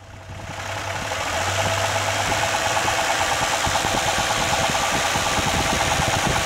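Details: 1997 Lexus LX450 (Land Cruiser) engine at idle: sharp knock repeating about three times a second, steady once running, sounds near cylinder 2 or 3; engine knock, owner suspects rod bearing or something else, not confirmed.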